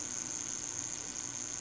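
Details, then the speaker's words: Audio Technica AT-LP120 turntable USB output to laptop, receiver powered off: steady, piercing high squeal at one pitch with faint hiss, pitch briefly changes when switched on then returns; USB audio squeal, cause unknown. "And again, as I said before, turning it on changes the frequency and squealing for a brief moment, but then it returns right to its its previous sound."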